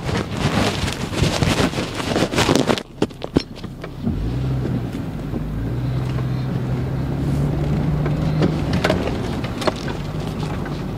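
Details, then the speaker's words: 2002 GMC Envoy driving with a complaint of rear clunking: irregular hollow clunks and knocks over low engine drone and road rumble. It is unclear whether the noise is front or rear. "so yeah so it's confirmed there is a clunking sound i'm not really sure if it's on the front or on the rear but anyway we just confirm it there is a clunking sound"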